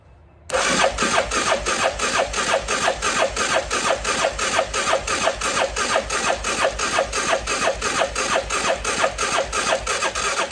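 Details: CF Moto Moose Tracker 500 ATV that sat about 3 years, choke held, battery pack on: starter churns evenly about three beats a second, never fires; crank no-start, carburetor later found gummed and plugged.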